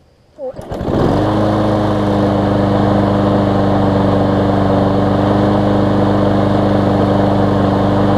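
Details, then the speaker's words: Newer Lawn Boy mower, previously sometimes failed to start when warm; after carb cleaning and ten to fifteen minutes' running, pull-start catches first try and settles straight into an even, steady run: normal warm restart. "so it seems to be restarting well one last test and I won't show this on camera just because no real need to"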